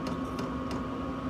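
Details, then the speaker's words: Chinese 12 V diesel heater for vans and motorhomes, used as a workshop heater, switched off via control panel: quiet steady fan whir and low hum as it runs its 3–4 minute shutdown cycle, cooling and cleaning itself out; normal. "It does a shutdown cycle. Don't know if you can hear it, but it goes into a shutdown cycle, cools itself down, cleans itself out, and it keeps running for about 3 or 4 minutes."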